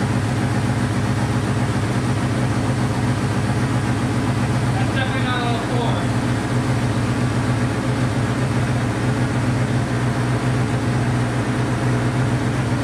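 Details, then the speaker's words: Honda CB500 four-cylinder after float height reset, on auxiliary fuel tank; lumpy, wavering idle, firing on all four but rough and struggling to idle. "not the happiest sounding thing but i'm gonna set it to where it will idle for a while"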